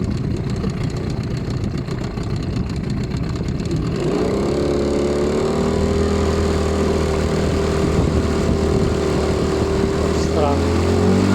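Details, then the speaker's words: New HDX 9.8 outboard at the start of break-in, starting and idling with a light, quick ticking about four per second that was absent the day before. The owner suspects a connecting rod or piston knock from a factory defect. "Короче, какие-то постукивания. Цик-цик-цик-цик-цик."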